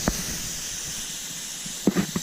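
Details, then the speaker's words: DEWALT 200 PSI 15 gallon air compressor, added regulator on existing port, at 200 PSI: steady high hiss throughout with a few soft handling knocks; small air leak. "I do have a little leak in there, that's what you can hear."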